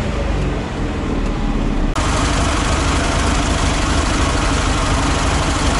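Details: ZAZ 968M air-cooled petrol engine started after standing idle, fuel pump just repaired, carburettor accelerator pump still sticking: loud steady idle with an even throbbing beat, no misses or knocks; running normally.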